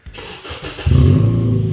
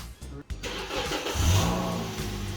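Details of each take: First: Car with its small rear muffler removed, at startup: the starter catches, then a deep booming idle with a loud droning rumble, far too loud. The exhaust runs a straight-through glass-pack muffler. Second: 2004 Honda CR-V stripped for weight loss: starter whirs, engine catches into a soft steady low hum, no rasp or drone, surprisingly quiet; normal quiet exhaust.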